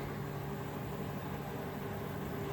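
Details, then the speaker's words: Microwave oven after repair and cleaning of grease inside, heating cold water for 30 seconds: steady low mains hum with a faint buzz, no crackling or snaps; working normally without sparking. "Par chiqyapti. Bu degani suvimiz isidi. Xudo xolasa ishlayapti."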